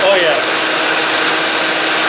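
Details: 2005 Toyota Matrix radiator fan after replacing the noisy, vibrating fan motor that had play in it; engine running with AC on. Steady, even airflow rush with no wobble, buzz or rubbing tick: new fan spinning smoothly, normal cooling fan operation.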